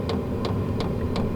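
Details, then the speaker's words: New Vevor diesel heater just after startup, power dropping to 20–26 W: steady blower rush with crisp even fuel-pump ticks about three times a second as the fan speeds up; heater running normally. "There's the fuel pump. You can hear that ticking away, and I can hear the fan starting to increase a little bit."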